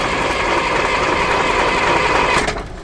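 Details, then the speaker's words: Abandoned John Deere 6600 combine diesel, no fuel coming out: steady starter churn with no firing, then drops away; cranks but no start, fuel shutoff solenoid suspected not opening. "I'm starting to question our cutoff valve. Yeah? Maybe it's not opening."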